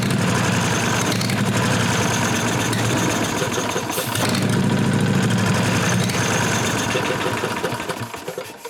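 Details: 1998 Briggs & Stratton Vanguard 16HP horizontal-shaft V-twin (model 303447), unstarted a year or two; starter spins it evenly, about three and a half beats a second, but it never fires and winds down. No fuel delivery, suspected gum blockage in the tank hose.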